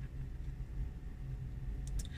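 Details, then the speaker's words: 39kWh Hyundai Kona Electric on its third rapid charge, cold wet UK morning, drawing 43 kW: soft steady low hum of the battery cooling fan, no knocks or rattles; normal. "it's decided to let me have a bit more power even though I can hear the fan on at the moment"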